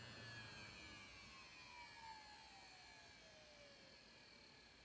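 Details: Desktop PC under light use: a constant very loud high buzz and whir, tones slowly sinking in pitch; persists through reboot, stops at shutdown, returns hours later, and goes away when the case is tipped over.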